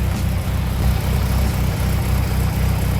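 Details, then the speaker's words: Classic Mini engine idling on its first short run after starting: low, steady, even pulse with no knocks or misses; owner says it sounds good and dry, and thinks there's no oil in it. "It sounds good. It sounds dry. I don't think there's any oil in it."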